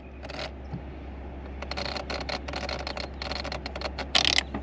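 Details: 1984 Toyota Celica Supra P-type, 5-speed, 98k miles, idling: light irregular ticking and clicking from the automatic climate control when an automatic temperature setting is chosen, likely from micro-cracked solder joints in the control unit; silent on full low.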